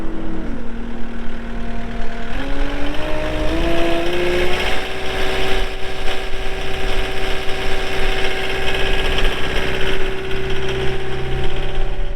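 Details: 2020 Caterpillar 259D3 skid steer, 1,484 hours: after start-up the diesel rises to a steady, even idle with a constant hum and no knocks or misses, running cleanly. Normal diesel idle.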